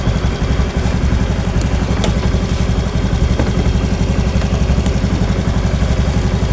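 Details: Honda Scoopy ESP scooter after engine repair for a rough whining noise, idling and then revved: even, steady single-cylinder firing with no whine, rumble or knock; sound changed from before repair, now normal.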